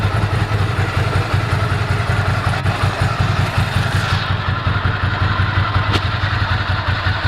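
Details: 1998 Ducati ST2, 10,596 miles, about 73 dB at tick over after new clutch, fuel pump, HT leads, Brisk plugs: even lumpy V-twin beat, about two and a half pulses a second, nothing rattling; healthy.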